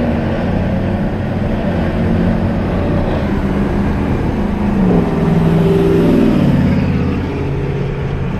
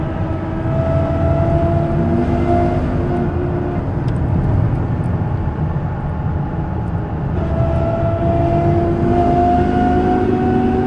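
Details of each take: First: 2000 Dodge Ram 1500 after replacing the whole differential, pinion and bearings for a worn-gear hum: truck drives with a smooth engine and road rumble, no whine or hum from the rear; noise eliminated. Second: 2000 Dodge Ram 1500 on the road: a steady gear whine over road noise rises and falls with speed. The cause was worn ring and pinion gears, and the whole differential and bearings were replaced.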